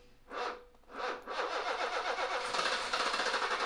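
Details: BMW E28 M535i six-cylinder first start after long sitting, crank position sensor plug reconnected: two coughs then uneven sputtering on brake cleaner/starting fluid, dies from fuel starvation; injectors found cruddy.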